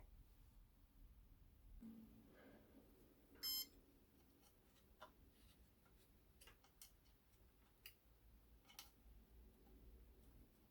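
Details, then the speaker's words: Tronxy printer with a Chitu motherboard, just flashed with Marlin after its stock firmware was backed up: one short, clean stacked-tone electronic chirp. This is the normal startup beep, and Marlin boots successfully. "okay so flashing marlin now and um as you can see here those familiar beeps there's marlin right beautiful"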